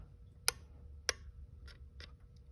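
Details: 2007 Mercedes-Benz S550 V8 crank-no-start, no fuel pressure at the rail; fuel pump relay on a four-pin tester gives sharp irregular clicks about every half second, switching green then red, so car starts only sometimes.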